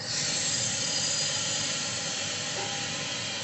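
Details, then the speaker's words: Refrigerator after corroded copper pipe repair, vacuum pump off after 15 minutes, Honeywell refrigerant can valve opened, compressor off, charging to 80-90 PSI: steady high hiss of refrigerant flowing in; normal charging sound. "Oke, kemudian mesin vakum kita matikan, kemudian langsung kita isikan freon ya dengan membuka keran freonnya."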